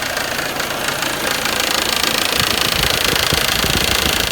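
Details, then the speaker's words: Audi/VW 1.8T idling: fast, loose metallic rattle as a fairly new serpentine belt tensioner flaps back and forth because the belt has stretched, leaving too little tension; fix is replacing the belt. "runs and it makes a lot of noise wiggling back and forth but it's actually a pretty new tensioner that's on there so the tensioner isn't the problem what the problem is is the belt"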